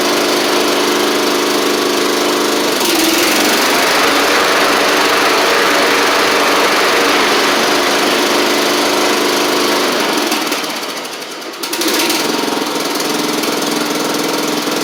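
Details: Troy-Bilt Pony riding mower after its Powermore engine was swapped for a Briggs & Stratton flathead, oil changed, first test run: fast, even beat with steady buzzy exhaust, no misses or knocks; runs clean and healthy.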